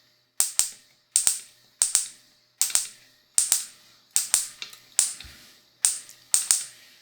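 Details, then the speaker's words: Honda Civic D15B carbureted distributor on a bench test with a 12 V battery, external module and test spark plug: sharp, crisp spark snaps in quick pairs about once a second, strong with no misses; healthy coil and spark. "Quiero que escuchen el sonido de la bobina o el sonido de la chispa. Ya que nos servirá para la siguiente prueba."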